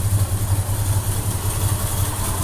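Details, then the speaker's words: Supercharged Holden 202 six in a Torana, cold start just fired up, after a copper manifold gasket was fitted to cure a manifold leak: low, steady idle with supercharger sound, AFR looks okay, hunts slightly. Normal running. "that's basically a cold start I've only just fired it up and turn the Kimber on running nicely"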